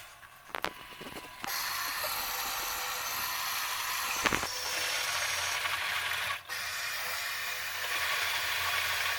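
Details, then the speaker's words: Bosch Maxx 5 Speed Edition washing machine after replacing the broken drain pump impeller: steady rush of water and even pump hum, no rattle or grinding; normal draining. "Так, набрали воды. Теперь сливаем. Все сливается."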